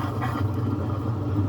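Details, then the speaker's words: Centrales washing machine after repair of a strange noise during the spin cycle, typically caused by bra underwires escaping into the drum. Steady low hum of the drum spinning smoothly with no scraping or rattling: normal spin cycle. "Y listo, se le quitó el ruido. ¿Sí ven? Ya no suena."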